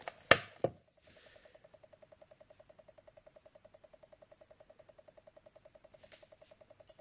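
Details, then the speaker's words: Commodore Amiga 500 power supply (4.5 A German-made light version), recapped with diodes changed, no load, voltages slightly out of spec: light regular ticking about three times a second, dying away at switch-off; owner suspects regulator or transistor. "I've recapped it checked all the caps on it Tereus a couple of diodes on it but it still makes a weird sort of clicking noise and as I turn it off the kid noise dies and goes to nothing"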